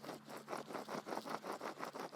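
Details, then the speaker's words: Subaru BRZ rear wheel hub bearing, removed and spun by hand. Gritty, rough grinding pulses about four per second; worn rear hub bearing, being replaced. "hopefully you can hear that on the mic bad bad bad bad bad"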